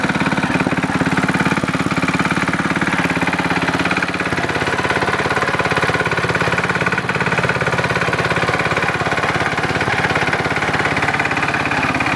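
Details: Simplicity Landlord 2010 tractor small engine idling after timing fix and new flywheel key: rapid even tapping about three and a half per second; owner suspects a rod knock, not confirmed, and says carburetor needs fine-tuning.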